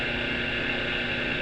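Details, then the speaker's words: Floor polisher motor tested alone out of housing on 220 V, without gears; smooth even whirr with no rumble or grinding, bearing healthy, fault lies in gears needing replacement. "E esse tá ótimo. Se o rolamento tá bom, não tá fazendo barulho nenhum."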